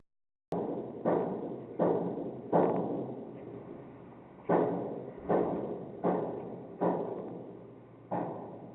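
Heavy irregular thuds roughly every second, each ringing out and fading, carried through the structure; this is pipe repair work banging below.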